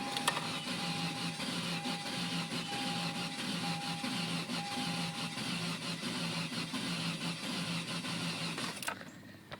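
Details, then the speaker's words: 1998 Ford Contour after overheating: steady rhythmic cranking about one and a half beats per second with no catch or firing; turns over but won't start, having earlier needed about five seconds of cranking to start. "and she just won't fire up a couple days ago i had a problem like this it would take about five seconds to start up now she just doesn't start up at all"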